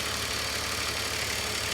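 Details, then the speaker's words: BMW E46 330i M54B30 at cold idle with drive belts removed: light, fast metallic rattle from the DISA intake valve remains while the larger rattle is gone; DISA valve rattle. "yep the Visa is rattling a little bit but the larger rattle that one is actually gone"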